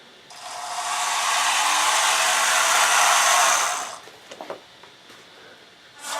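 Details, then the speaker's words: Brass vs steel gearboxes run side by side: steady, even high whir of small motors and gears, no knocks or grinding; both quiet, steel gearboxes formerly much louder before owner's fix. "I think both of them are pretty quiet I won't think there's a whole lot of difference the steel gearboxes used to be a lot louder"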